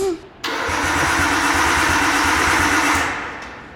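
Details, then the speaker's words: Abandoned Nissan R32 first cranks after sitting, fuel pump fuse put back in: steady starter churn with low pulsing beat for about 2.5 seconds, never catches; no start because loose coil packs arc to a plate. "so the solution for this it's uh basically like the coil pack is not secure anymore and it's arcing to this little plate"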